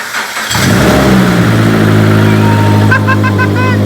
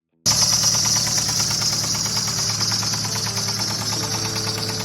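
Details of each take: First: 2015 Subaru BRZ, bought with a knocking motor, heard at its first start after a motor swap. The starter turns briefly, the engine catches cleanly, settles into a steady idle and takes an even blip of revs: normal start and rev. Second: 2015 Subaru BRZ engine, heard in the seller's listing video, which says the motor was knocking. Loud running with a fast, steady metallic knock throughout, harsh and rough: engine knock, failed engine.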